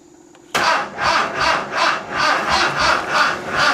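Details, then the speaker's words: 1970s VW custom trike, carb just bolted back on after a flooding fix and accelerator pump primed; labored slow cranking around two and a half beats a second with no firing, from a low battery. "battery's kind of low all right let's try it again"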